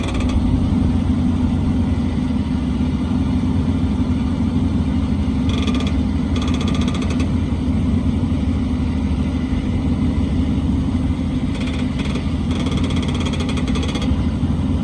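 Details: 2014 Ram 1500, engine running while the wheel is turned: short bursts of rapid ratchety clicking over a steady drone; ball joints checked and good, cause unknown, noise when turning.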